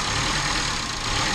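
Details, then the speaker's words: 2011 Chevy Cruze after a massive vacuum leak was repaired and the coil pack refitted: a brief, even idle with a steady hiss, no whistle or stumble; no longer leaking, though fuel trim may still need to level out. Normal idle. "The fuel ratio and all might still have to level out a tiny bit from running like crap that long, but it's definitely running good."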